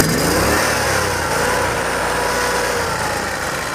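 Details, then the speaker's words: Yamaha EF12000DE / Robin RGV12000 generator, warm restart: long steady rapid cranking about three to four strokes a second without catching; owner suspects an old, slow-opening solenoid; extended cranking before start. "I think reason I have to turn it over for a while start for a little while it's got to give that cello time to open up it's very slow to open up maybe because it's a little old and tired"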